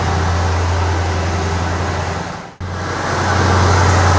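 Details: 1968 Ford F100 with a 360 V8, idling after its cracked spark plugs were replaced: smooth, even idle with a steady low hum, one brief dip, and the earlier ticking gone; a normal idle after repair.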